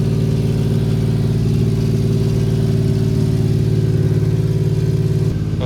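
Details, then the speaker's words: 1993 Suzuki Carry mini truck idling after replacing the rotted, likely original exhaust; steady, deep, even burble with low throaty tone, no rattles or misfires, more enjoyable than the raspy old muffler. "a pretty deep tone to it uh it's kind of a more enjoyable deep tone than the raspy old Muffler though"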